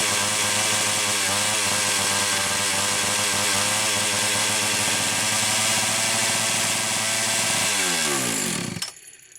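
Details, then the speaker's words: Homelite Super XL-925 chainsaw, owner reports too-fast idle, two different carbs tried; shrill two-stroke screaming at very high revs then falling away; lean running from an air leak, a cylinder nut had rattled off. "That looks like a cylinder nut. It is. Holy wow. It's the cylinder nut from back behind here, literally just rattled off."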